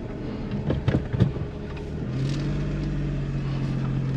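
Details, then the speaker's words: Suzuki Kei Works 4WD after viscous coupling replacement, reversing: a few handling knocks, then a low even hum with no deep "gogogo" rumbling heard before the repair; drivetrain sounds healthy, problem appears fixed. "お！お！よっしゃー！解消されたかもしれない、これはとりあえずこの問題は直ったみたいです！"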